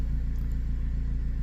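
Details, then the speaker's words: 2017 Jeep Patriot, 142k miles, 6F24 six-speed automatic just serviced with Amsoil Signature Series fluid, engine idling while cycling drive, neutral, reverse for the fluid check; smooth low idle with an even pulse, no grinding or clunks, transmission healthy. "Well, I don't hear any grinding metal or clunking parts falling on the ground, and it hasn't dumped out all the fluid yet, so I must have done something right so far."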